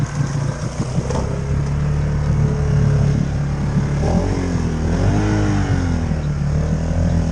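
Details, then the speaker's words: Polaris Sportsman 570 ATV on 31-inch Outlaw tyres, two days old, wading deep swamp: engine drones and swings in pitch without matching pull; CVT belt slipping with much water in the belt housing, power steering and check engine lights on. "Belt drives suck. I got a power steering light, I got a check engine light. Quite a lot of water in the belt that time, I tell you what."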